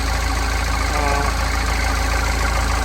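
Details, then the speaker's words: Normal idle on a Mahindra Xylo diesel in neutral after fixing its crank-but-no-start fault by repairing the injector circuit: even clatter at a steady idle, no stumbling or misfire, and it revs up well. "So வண்டியை start பண்ணுறேன். Good, வண்டி start ஆகிடுச்சு."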